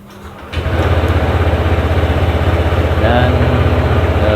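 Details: Honda Vario 160 scooter just after replacing a weak, hard-starting battery; voltage reads 11.9 V on starting, red battery warning now gone. Quick crank, catches at once and settles into an even idle of about four pulses a second; healthy start.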